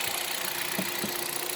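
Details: Hyundai Solaris 1.6 126 hp, automatic, 60,000 km, at idle right after oil and filter change to 5W-40: light fairly regular tapping over a smooth idle; engine knock at idle, source unknown.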